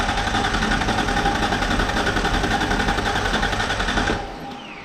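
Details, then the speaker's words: 1994 Mazda B3000 with swapped-in 4.0 OHV V6 from a B4000, first start attempt: even starter cranking at roughly four turns a second, never catching; cranks but won't fire, owner suspects the old 3.0 fuel pump, no fuel at the Schrader valve. "All right. Well, you know, a whole lot of nothing so far. It cranks. I'm uh a little unsure if uh the fuel pump from the 3 L is any good."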